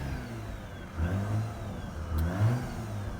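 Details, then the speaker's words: Mazda RX-8 rotary started cold after a no-start, flooded from long cranking; floored and revved in uneven bursts, stumbling and picking up while smoking heavily as fuel clears. Flooded engine clearing. "You can see it's smoking a lot right now, but the car will actually not smoke. This smoke will clear up. So, this is pretty much uh it's been flooded with me spinning so much."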